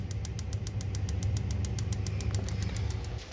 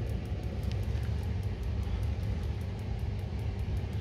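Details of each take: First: Boiler with two solenoids, pilot tube and HT-lead electronic ignition, after pulling out a wire that was shorting against the burner: crisp, even snapping about four a second over a low burner hum; ignitor now sparks every time. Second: Boiler with pilot tube, two solenoids and HT-lead electronic ignition, locking out: sharp even ticking about four per second over low rumble as igniter sparks but pilot never lights; no spark at pilot, arcing somewhere on HT lead, then lockout.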